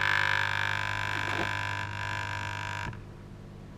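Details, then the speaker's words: Probably Australian-made 12 V 8 A battery charger (4.75 A continuous) on the bench: hard, steady mains buzz with whistling edge from the vibrating rectifier, dropping away near three seconds; the unit then overheats, cuts out and gives off blue smoke. "and the noise should be coming from that R rectifier there that's actually quite quiet move my hand oh there it goes you can hear that"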